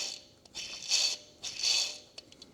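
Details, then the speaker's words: 2013 Jeep Patriot Limited 4WD belt tensioner, removed from the engine and spun by hand, gives a light dry rasping whirr in short bursts with no grinding. It is a mildly rough tensioner bearing; it was replaced with a new one. "I'm not going to lie, it doesn't sound horrible. So clearly the tensioner was making some noise."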